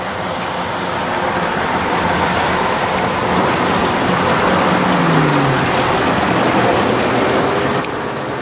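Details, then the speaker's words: Chevrolet 2500 HD 3/4-ton 4x4 pickup, 6.0 Vortec V8, low miles: steady, even engine note with a faint light tick, probably fuel, under road noise; no warning lights, normal running engine. "nothing wrong sounds good you can hear the slight little ti ti just a slight little thingy thing probably fuel"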